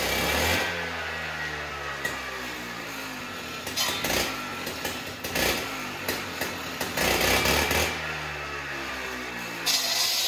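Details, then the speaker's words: Husqvarna cut-off saw, two-stroke, cold start after fixing a missing spring that let the blade spin at idle: fires quickly, revs sharply, settles to steady buzzing idle twice; starts and idles cleanly, passes stone test. "all right dave we just saw you starting it up doing the rock test and that's good just like we kind of thought it was yesterday or you did the video before"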